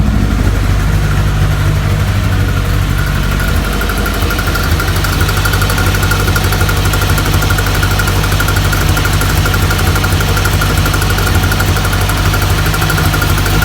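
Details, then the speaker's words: 1983 VW Rabbit GTI rebuilt engine: even idle with a steady low drone and light mechanical chatter, no misses or heavy knock; blue smoke seen but not burning much oil; healthy. "Yeah, so we're good. This is awesome. Seeing a lot of blue, not burning a lot of oil, doesn't smell very oily."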